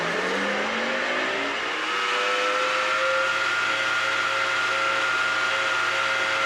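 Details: Nespresso VertuoLine spinning a capsule while brewing: a loud, harsh, blender-like whine that rises, then holds steady; a bad bearing is suspected.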